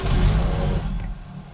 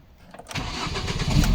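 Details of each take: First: Ford Focus petrol that starts then dies: engine catches with a brief rumble, then dies within about a second as fuel pump relay power drops after cranking; cause is a faulty aftermarket alarm immobiliser relay cutting fuel pump power. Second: Ford Focus after fixing the stall-after-start fault caused by a faulty non-standard radio lock relay: cranks briefly, catches and settles into a steady, even low idle with no misfire or knocking; healthy start.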